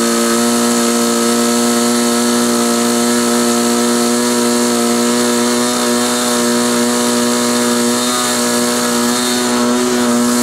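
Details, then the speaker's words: Model glow engine on a restrained SIG Kadet LT-40 RC aircraft during break-in: high buzzing drone that never clears, slightly uneven; running too rich, needle valve needs leaning. "when I turned the camera off I sat and thought about it a little and um realized that uh what was going on um was it was too rich"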